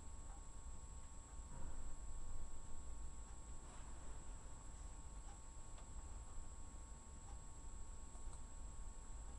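Faint, irregular single knocks every second or two in a quiet room; the pipe in the wall is knocking, cause not yet known.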